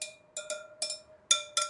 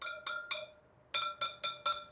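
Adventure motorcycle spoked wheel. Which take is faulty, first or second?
first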